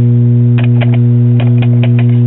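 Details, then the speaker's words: 1969 Japanese-built Packard Bell AM/FM stereo receiver with 8-track: loud steady low hum with a buzzy overtone and faint clicks in the audio, blamed on bad power-supply filter electrolytic capacitors. "this thing most likely has bad electrolytic capacitors and the power supply that's causing the hum that you hear"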